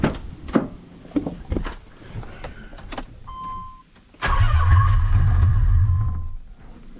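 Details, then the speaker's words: Nissan 300ZX with a 1990 engine, cold, after fitting a replacement OEM MAF: brisk, even cranking, about three turns a second, spinning faster than before, then it catches and runs; still a slight cold miss blamed on valves needing heat to seal. "I spun over way faster. It's still gonna miss a little bit because it's cold."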